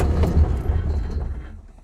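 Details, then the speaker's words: Reliant Fox engine started cold in pouring rain; a brief rough rumble that catches and fades within two seconds, almost firing but not staying running. Hard cold start. "Oh, she doesn't like the cold."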